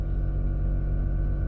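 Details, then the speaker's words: Nissan GTR R35 with newly installed Air Lift air suspension, raising to max height (~110 psi): short, steady low hum at even pitch, no rattle or strain; compressor filling the tank normally, noise stops shortly and isn't heard when driving. "so that noise there if you can hear it's just the tank filling up with air but um that noise will go it's only there for a short time so it fills up all sides off the airbag"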